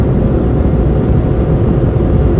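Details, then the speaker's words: 2004 Vauxhall Corsa C Energy, recently done timing chain, driving up to 60 mph: even steady low rumble with no knocks, ticks or whine over road noise; wheel bearing winds more at speed; engine normal and quiet. "You can probably hear on camera as I get up to 60 mile an hour. Wheel bar starts to wind more. But otherwise so far seems to be okay. Engine's nice and quiet."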